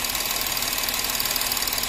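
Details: Porsche Cayenne 3.0L TDI that misfired, after the three injectors on one bank were serviced and refitted, with return now flowing: even, steady diesel idle clatter with uniform pulses, no misfire stumble, a healthy idle.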